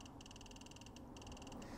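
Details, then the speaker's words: OPTE handheld makeup inkjet printer held over a surface: rapid bursts of sharp high ticks about twenty a second, like a Geiger counter, as it activates. "now that means it's active and so if i bring this over something you can hear you can hear it activating"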